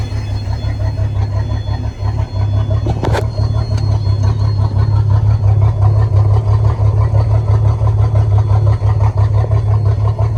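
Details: 1988 Sea Ray boat engine that cranked but wouldn't start, running after starting fluid: steady low idle rumble with a constant buzz on top; source of the buzz not identified.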